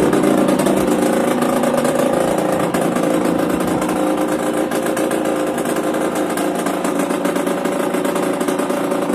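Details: Yamaha DTR 125 two-stroke, first start after fitting unrestricted Gilera SC CDI, Big One exhaust, 240 main jet, powervalve fully open: loud, even idle with crisp ring-ding beat about four per second, steady and healthy.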